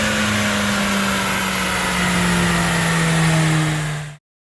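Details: Mercedes-Benz A45 AMG turbo petrol engine on a Dynojet at full load, after a fresh ECU remap that fixed knock from a previous tune: a steady, strong drone with no pinging or knocking, then it cuts off.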